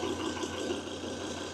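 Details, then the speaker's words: Volvo with new plugs and coils, misfire traced to cylinder 3 by oscilloscope (scanner said cylinder 5): quiet, even idle with smooth steady hum and no stumble after the fix; misfire gone, normal idle. "Miren, no más mis fire. Se fue el miss completamente. Es perfecto. Como se tiene que ver un sistema, miren."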